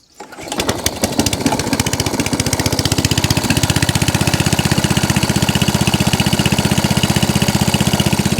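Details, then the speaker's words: ATCO Balmoral cylinder lawn mower after a carburetor leak fix and cable fix, carb nipple removed; it started first pull on full throttle with some choke, then settles into an even, steady idle. "So that's on idle. That's idle. So it started first pull on the full throttle."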